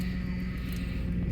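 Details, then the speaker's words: 2008 Ford Expedition (ex-police), idling after rack and pinion replacement and bleeding lock to lock: steady whine from the power steering pump, quieted somewhat; a little air remains, may need more fluid and another bleed. "I still got a little air in there there's going to be a little air as you can see it quieted down the pump a little bit so I might have to add a little more fluid"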